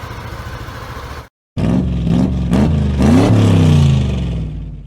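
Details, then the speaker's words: 2018 Yamaha Aerox scooter, 16,000 on the odometer, after oil and gear-oil change: smooth throttle blips, revs rising and falling cleanly with no rattle or misfire; normal revving, engine sounds healthy. "So okay naman, i-rev natin. Napakaganda ng tunog, napakaganda."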